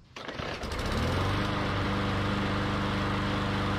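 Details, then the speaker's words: MTD Yard Machines mower, Briggs & Stratton E/EX-series engine, after cleaning the plastic carburetor jets with wire-brush bristles and refitting the foam air filter: pull, quick catch, then a steady even buzzing run with no misses; normal start and run. "that's what it took now it runs great"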